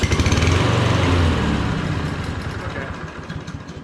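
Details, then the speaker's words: Toro push mower with fueling issues and 10% ethanol fuel; it fires and runs a few seconds, then the beat slows and fades as it dies; too little fuel trickling in is suspected, carb and tank to be cleaned. "so fuel is trickling in there it's just not enough to keep it going is my theory"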